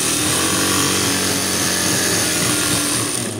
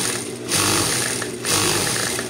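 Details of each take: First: Juki high-speed sewing machine after tightening the hose to cure an internal knock: fast, even whir with a light steady clatter and no knocking. The knock is gone, the stitch is fine, and the machine runs normally. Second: Juki high-speed sewing machine with a knocking inside: fast clatter with heavier knocks surging about once a second. The mechanic suspects something under the bed, not the gear teeth, which are not loose, so he opens the back to check.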